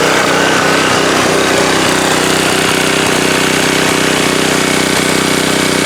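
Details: Subaru electric-start pressure washer single-cylinder after oil refill, watched for oil/fuel leaks (over-oiled air filter suspected): steady, even beat about two and a half pulses a second, no misses or stumbles; sounds healthy.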